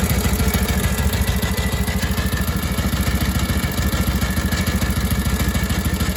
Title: Harley WLA 45 Flathead strange idle sound